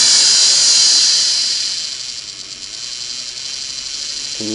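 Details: Restored Singer 401A sewing machine, final test before return to customer: high steady whine over soft hum, no knocking, from gear meshing with the motor worm gear plus cleaned motor carbons breaking in; normal.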